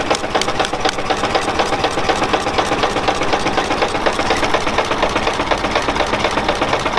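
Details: Four-cylinder running on the magneto, with a rod knock: choppy, uneven idle around four pulses a second with one cylinder, probably number two, not firing; dead-cylinder misfire.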